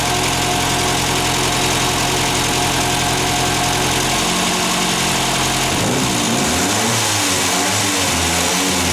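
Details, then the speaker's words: Ford Fiesta MK1 after replacing alternator bearings that caused a chirp: steady idle then light throttle blip rising and settling smoothly, no whine or rumble from alternator, voltage rises slightly to about 13.62 V; normal light revving. "Le voy a acelerar un poquito y vemos si sube también el voltaje."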